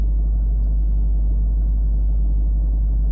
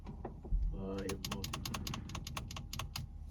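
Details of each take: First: Range Rover L322 3.6 TDV8 sat on its bump stops, trying to raise at diesel idle: only a steady low idle rumble, no compressor noise; Hitachi air suspension compressor not running. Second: Range Rover L322 3.6 TDV8 that sank onto its bump stops overnight, faults CA120-64 and C1130-7A, engine started: steady low hum as the Hitachi air suspension compressor runs and raises the front; owner still suspects a possible split air strut bag.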